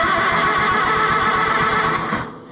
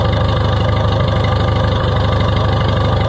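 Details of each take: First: Oliver 66 tractor that sat for a long time and smells flooded: slow, even cranking for a couple of seconds with no firing. There is no spark, and corroded points are suspected, needing filing. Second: Oliver 66 tractor running again after head gasket area work: steady, even low idle thump with no surging or odd knocks; engine settled and running healthy.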